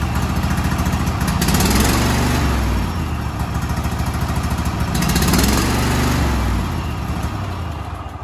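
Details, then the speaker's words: Cub Cadet SLX50 with Kohler KT735 7000-series twin-cylinder engine, 671 hours, half power: lumpy, uneven chuffing idle with loping beat; running on one cylinder from failed ignition coil, both coils being replaced. "now this is only running on one cylinder this is a 7000 series this is a KT 735 twin cylinder colar engine"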